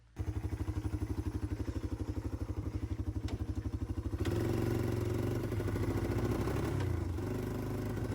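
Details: 1995 Yamaha Timberwolf 250 ATV, revived after sitting for years with a destroyed carb: single-cylinder putts unevenly at quarter to half throttle, sounding poppy, then smooths as revs rise; owner suspects pilot jet still rich, may adjust mixture screw.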